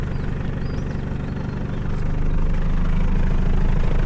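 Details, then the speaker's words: 2007 Nissan Navara, lowered about 2 inches: starts easily and settles into a steady, even low rumble at idle with no knocks or misses; healthy idle. "ลืมฟังเสียงเครื่องนี่ติดง่ายครับ"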